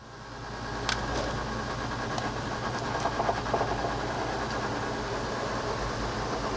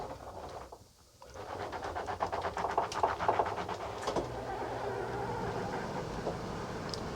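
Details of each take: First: Coachmen Sportscoach 380MBS Class A diesel pusher on Freightliner XC, slide-out retracting after repair; smooth, steady motor drone with light clicks, no binding or straining; normal retraction. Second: Coachmen Sportscoach 380MBS Class A diesel pusher on Freightliner XC, slide-out won't retract without a push; labouring motor whirr with rapid uneven ratcheting, about four pulses a second, over a hump; owner suspects worn motor, binding on sagging flipper board.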